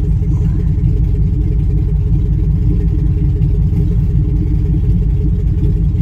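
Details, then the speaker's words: 2005 Chevy Tahoe 5.3 L V8 at idle, low power, new plugs, wires, coils: deep rumble with lumpy misfire beat; bank 1 sensor 1 oxygen sensor suspected bad, causing clogged catalytic converter. "coincidentally bank 1 sensor 1 is where my misfire is bank 1"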